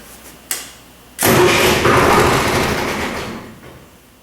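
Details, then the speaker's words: MEP-004A 15 kW four-cylinder military diesel generator that sat for years, after its corroded starter solenoid contacts were cleaned: a click, then a strong crank that fires into a brief roar before fading; normal crank and start. "it looks like it's working uh the engine actually fired there"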